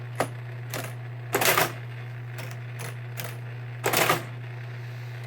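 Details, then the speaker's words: 1923 Marchant EA mechanical calculator after repairs, powered on with carriage at home position, adding 573: steady motor hum with crisp mechanical clatter every couple of seconds, cycling evenly; normal operating cycle. "So let's give this a little demonstration. Turn it on. Carriage to the home position, and then from here you can add like 573."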